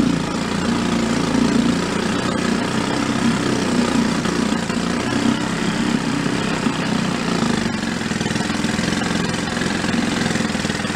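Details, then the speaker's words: 1937 Sears Water Witch 2.5hp outboard, 83 years old, revived after about 60 years in a shed, main jet just adjusted: steady, even low putter holding a slow idle without stumbling; running healthy, normal idle. "seems like he's doing fine you have to between high rev and low rib uh idle higher rpm you do have to make adjustments to the air fuel mix"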